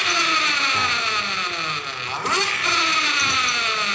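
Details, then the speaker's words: Honda Beat Pop scooter revving on the stand with coarse gear whine and growl near the CVT, worse forward and back, after replacing shaft and 16-tooth gears; worn final reduction gears. "ketikan suaranya masih ada suara ashar di daerah tadi gigi CPT ketika jalan ke depan kalau ke belakang juga parah banget ini"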